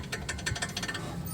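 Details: Car front end noisy over bumps: quick, light metallic clicks from a brake caliper slide pin knocking in its bore. No grease is left, giving metal-to-metal contact; fixed by cleaning and regreasing the pins.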